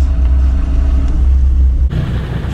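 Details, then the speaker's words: Land Rover Discovery 2, hill descent control engaged rolling downhill without touching pedals: low steady rumble with rough pulsing as ABS brakes individual wheels to slow the vehicle; working as intended. "but you can actually hear the ABS start working but what it does it goes in and breaks the individual wheel to slow down the vehicle so you don't have to block the brakes or do anything"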